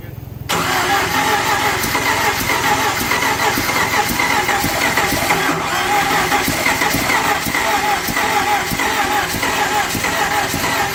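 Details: 1997 Jeep Wrangler 2.5L, rebuilt engine under 2,000 miles, new computer, plugs, wires, distributor, crank sensor and battery. The starter grinds ten-plus seconds without catching cleanly: long crank, hard start. It runs fine once started; owner wonders if timing is off.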